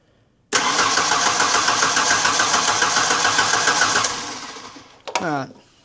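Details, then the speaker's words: 1991 Ford Ranger 2.3 with eight spark plugs, crank no start: steady cranking at about 3.5 turns per second, no firing; no spark despite prior owner replacing coil packs, ICM, fuel pump and ECU; later suspected out of time. "All right. There's no spark. You got to be kid. This thing's got eight freaking spark plugs."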